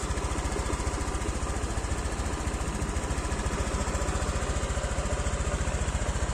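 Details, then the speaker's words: Honda Vario 125 (old model) scooter run for 1 year 9 months on 100% cooking oil as engine oil, idling before its third oil change. An even, steady putter with no misses or knocks: a stable, smooth normal idle. "Lancar, kan, Mbah? Kondisinya stabil dan lancar."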